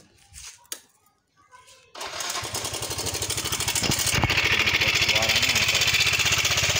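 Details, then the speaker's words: Yamaha Mio M3 125 scooter at idle with oil level checked and fine: rapid metallic "tek-tek" ticking rattle in step with the engine; cam chain tensioner suspected, to be checked by adjusting the lifter tensioner. "untuk mencari sumber dari suara yang eteketeketeketeketek itu tadi ya teman-teman ya ee kita akan mencoba sini teman-teman mengatur dari lift Tensioner ya"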